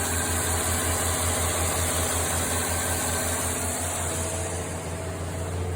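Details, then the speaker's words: 1953 Chevrolet engine idling on a newly installed carburetor after not running for about 22 years; smooth, steady low pulse with no misses, knocks or smoke, running healthy. "good no smoke at all it's been 22 years since this thing's run"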